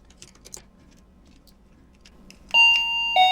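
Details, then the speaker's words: Wireless doorbell after re-soldering a broken surface-mount switch contact and reinserting the battery: a few faint clicks, then a clear two-note electronic ding-dong; the repaired doorbell chime works normally. "Yes, right, it's working. Everything is fine."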